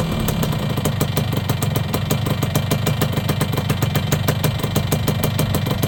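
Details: Yamaha YB100 two-stroke after fitting a new exhaust: crisp, even idle with a quick steady crackle of firing pulses and no misses; engine runs clean and healthy.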